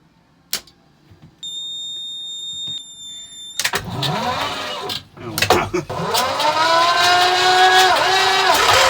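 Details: Vintage narrowboat engine (valve timing adjusted, oil changed and injectors reconditioned last year) cranked: starter whirr, then catches and settles into a steady, even beat with no knocks or misses; oil pressure peaks high then drops to about 20 psi; surprisingly quiet, normal start and idle.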